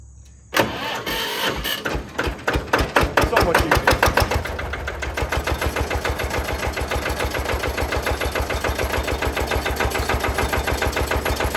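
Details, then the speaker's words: Benford TS25 concrete buggy with single-cylinder Lister diesel (heavy compression, big centrifugal weight), first-ever hand-crank start: the engine catches after cranking, thumps hard, then settles into a steady, even chug of about three beats a second. Normal start and idle. "It is a very distinguishable, unique sound. Like I said, it's the only single cylinder. You could hear it. There's a big centrifugal weight in there."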